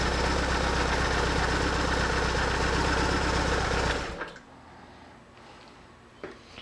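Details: 2004 BMW R1150R, 22,711 miles, after refitting loose injector connectors behind a misassembled boot: even, steady fast beat about four pulses a second, both cylinders firing cleanly, then shut off.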